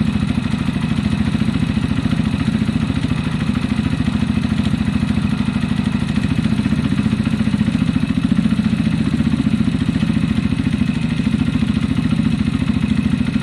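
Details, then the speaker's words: Zontes fuel-injected motorcycle that kept cutting out, running after fixes: steady, even idle with a quick regular beat and a faint light tappet tick; sounds much better. "so [Laughter] that seems much better"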